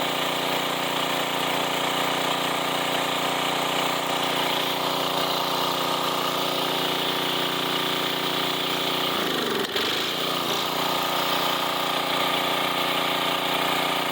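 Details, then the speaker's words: 1990s Sears Craftsman 2400 W generator, long-stored, started on choke with a splash of fuel in the carb: steady, even hum at constant speed, barely dipping under a brief reciprocating-saw load; runs healthy. "Put it on choke. Here, it might be too much. Got it running. Fires right up."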